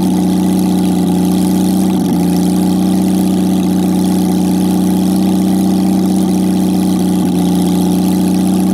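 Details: Jaguar XK6 inline-six after a junkyard rebuild, no exhaust, no radiator, in a homemade boat-tail speedster: loud open-pipe idle with a smooth, even drone and no misses or knocks; normal idle.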